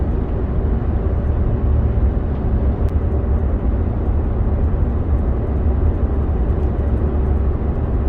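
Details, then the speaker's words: 2011 Ford F-150, 230,000 km, road test after rear axle rebuild for failed pinion bearings (gears saved): steady even road and drivetrain hum on gravel, no rhythmic shudder or drone. Driveline quiet and smooth, vibration gone. "just drove two kilometers on a gravel road and it's quiet nice and smooth no more vibration"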